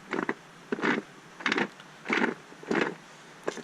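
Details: Race car transmission turned by hand at the shaft after it failed; no metal in the fluid: rough grinding bursts about every two-thirds of a second, something catching inside; damage suspected in 3rd gear, not confirmed.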